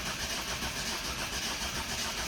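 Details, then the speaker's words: 2011 Ford Focus turbodiesel with no fuel pressure fault, long cranking attempt: starter spins in a fast even rhythm with no firing or catch; crank no start, fuel pressure suspected, not confirmed. "All right, so that big long cranking crack ain't working as of yet."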